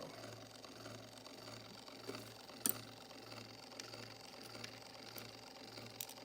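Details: Rebuilt 1905 Victor II phonograph spring motor, just after setting the bearing, before graphite greasing. Light, fast steady chatter over a faint hum from the coarse straight-cut governor drive gears: normal straight-cut gear noise.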